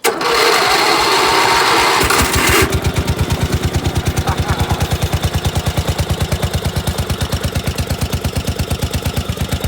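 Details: 16 hp Briggs & Stratton engine on a snow-covered tractor cold-started at 12 degrees: starter cranks, catches, settles into steady even thump about three per second, no knocks or misses; normal cold idle.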